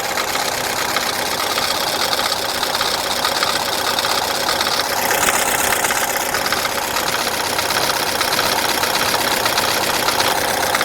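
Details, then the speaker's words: Chevrolet Cruze, first start after engine removal and replacement, low fuel, battery charger connected: steady, even idle under much hiss, no knocks or misses; normal idle. "So, right there, as you can hear, the engine is running. I'm going to turn off our battery charger. So, this engine sounds pretty good."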